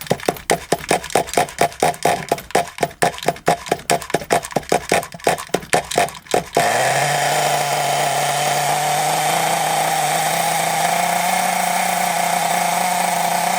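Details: Scrap Thunder Tiger .28 Pro nitro RC engine, no clutch or bell, only flywheel, unloaded after raising idle: flicking starts, then a steady high-pitched scream; owner thinks it sounds a little lean and turns the main needle out to richen.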